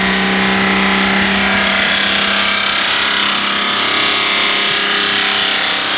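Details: BMW 524td E28 diesel running away after the turbocharger failed 20 miles earlier (whistling, power loss); steady high roar with heavy hiss, heavy white-blue smoke, kill switch ineffective, engine burning oil sucked through broken turbo.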